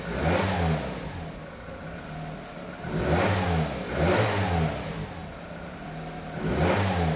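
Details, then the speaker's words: Nissan Micra K11 four-cylinder after crank-no-start, suspected flooded; blipped every few seconds it sounds lumpy and flat, running on three cylinders; fouled spark plugs suspected of causing the misfire, to be replaced. "And if it starts, I think it has been flooded and that the spark plugs has been fouled quite badly and needs changing to avoid it in the future, I'd say. But let's see if I'm that lucky. We are not running on all four right now, we are running on three."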